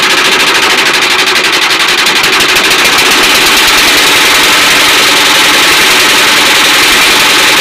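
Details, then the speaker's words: Air-cooled diesel after a liner rebuild, filled with 3.5 L of new oil. A loud fast clatter at about four beats a second, with a faint tick from the chain cover. It was said to be no problem and has reduced since starting. "चैन कवर में थोड़ा सा आवाज़ आ रही है तो कोई दिक्कत नहीं, जब स्टार्ट हो जाएगा तब सही हो जाएगा।"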